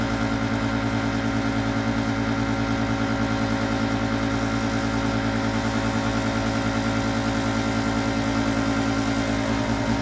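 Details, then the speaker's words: Master radiant heater fuelled with diesel: the fan runs with a steady hum and a slight regular pulse, but there is no ignition tick or flame roar and the burner never lights. Blower runs but no ignition. "so it's some kind of I didn't hear igner [Music] I don't think I hear the night I"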